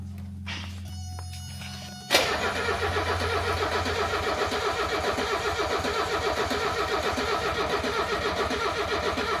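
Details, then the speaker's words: 1978 Mercedes 300CD with swapped-in 1984 OM617 turbo five-cylinder diesel, new injection pump: steady rapid cranking about three to four turns a second never catches; no start, fuel through filter but not yet through the pump, air in system. "And diesels are not well known for getting primed again very easily. Crank it. Give her a crank. Got fuel through here. Filter's filled. Got it coming out of the filter, but nothing's coming through the pump yet."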